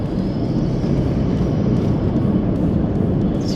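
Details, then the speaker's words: 200-series 4WD driving over hard corrugations at 60–65 km/h with tyres at 40 PSI: constant deep rumble with a busy rattle and shudder, the vehicle shaking a lot; over-inflated tyres give an uncomfortable ride. "65 k's an hour over these corrugations. It's just shaking the vehicle quite a bit. You can hear it shaking around. Certainly not a comfortable drive."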